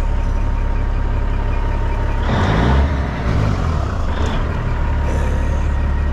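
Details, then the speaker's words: Cab-over Aerodyne diesel truck, running (water ~110, oil 60 psi), Jake engine brake tested: deep diesel drone with a short soft, flat rasping brake burst lacking sharp bark; owner suspects the 5-inch stack, unconfirmed. "they don't sound very good they're just maybe it's cuz that 5 in stack I don't know but don't really need them"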